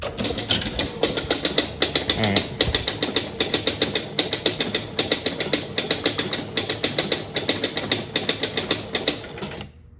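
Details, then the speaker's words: 1976 Gottlieb Surfer pinball (barn find) turned back on after a solenoid had been sticking: sharp mechanical clacks in quick crisp bursts, roughly seventy a minute; no more stuck solenoid, solenoids pull in and release normally. "All right, no more stuck solenoid. That's good."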